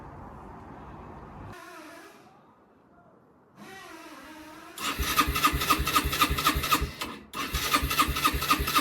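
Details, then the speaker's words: Rieju RS2 Matrix Pro 125cc four-stroke, first start attempt after sitting over 10 years, new fuel lines and fuel valve, choke on: starter spins the engine at a steady quick chuff, about four beats a second, but it never fires. "Alright guys, a quick update on the bike. After a solid month of hard work, it didn't fire up. So it's back to the diagnostic mode."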